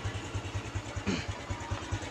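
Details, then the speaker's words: Honda Revo Absolute (Revo Fit, carbureted, non-injection) after backfire repair: single cylinder idles evenly around five beats a second, no exhaust popping; running normally, backfire cured. "Knalpotnya sudah nggak nembak."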